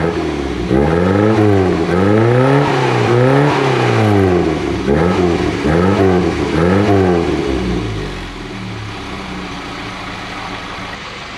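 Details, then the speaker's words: Classic Mini Clubman Estate after cleaning the carburettor dashpot with brake cleaner and topping up its oil, not fully warm, water leak present: engine blips then settles to a steady even idle without misses or knocks; normal running. "I've just cleaned it out top the dash spot oil up it was fine anyway hey we fixed it we did a thing"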